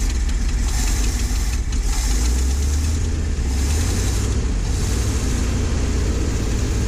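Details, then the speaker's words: Ford F700 salt spreader truck, with freed stuck valves, new pushrods, plugs, wires and a rebuilt carburetor: a deep, steady V8 idle with a rough, puffing exhaust leak underneath, though the engine runs evenly; it only picks up fuel after the tank is pressurized. "seems to be idling all right kind of deceiving with that exhaust leak"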